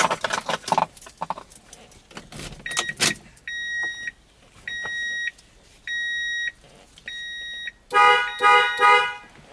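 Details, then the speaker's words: Toyota Tundra with an inoperative horn and a faulty clock spring: grounding the red-green horn wire gives four clean, steady blasts of about a second each, so the horn itself works. "you guys hear that so the horn is blowing okay"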